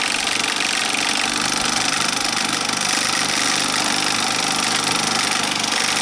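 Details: Bell & Howell 2575 16mm Filmosound projector, side panel off, in rewind mode with resistance applied: busy, fast, slightly uneven chatter about three or four beats a second, still holding its own; cracked nylon gears, lower sprocket and worm gears.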